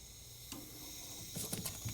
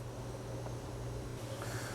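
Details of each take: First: Allavino VSWR177-1BWLN 177-bottle wine fridge not cooling at all; Supco BPV31 piercing valve punctures the copper line, soft steady hiss with handling clicks as gas flows: refrigerant hiss into empty sealed system. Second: Allavino VSWR177-1BWLN 177-bottle wine fridge that had no cooling, during R134a charging, suction line cooling: the compressor, previously running in a vacuum, now pumps gas with a steady low hum and firm even drone; running normally.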